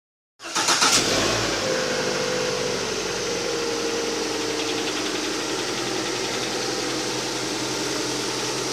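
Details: Engine knock on a cold start: the engine settles into a fast idle with a light tapping about four times a second; source unknown.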